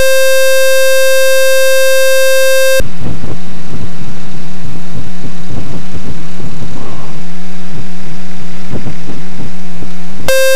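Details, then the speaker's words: Experimental RV7 on a taxi run. A loud, steady electronic alarm tone sounds for about three seconds, engine and taxi noise follow, then the alarm returns. It is an avionics alarm of unknown cause, with low voltage later suspected. "There is a way I can get rid of this alarm. It will make my life not as miserable."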